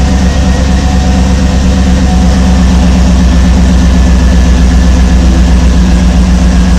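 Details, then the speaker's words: 2007–2014 Escalade/Tahoe/Yukon/Suburban-type air suspension compressor after replacement: soft, steady low hum, no rattle or grinding, barely audible; healthy, unlike the terrible sound of the old compressor. "well you could barely hear it but it's you could definitely hear running but not like before was making a terrible sound"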